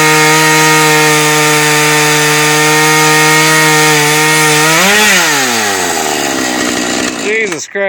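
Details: Refurbished Husqvarna 435 chainsaw bought online: starts well, screams at steady high pitch, then bogs and drops sharply in pitch in the cut; dull chain, cuts poorly.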